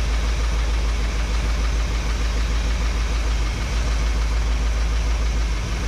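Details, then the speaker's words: 1961 Chevrolet Parkwood with new exhaust, after adjusting carburetor mixture screws by ear: low, steady idle around 650-700 rpm with an even, gentle lope, no knocks or misses; settled and healthy, vacuum gauge afterward reads on high side of green. "drop it down as low as you can get it to tune on it still running real low I got her down to about 650 to 700"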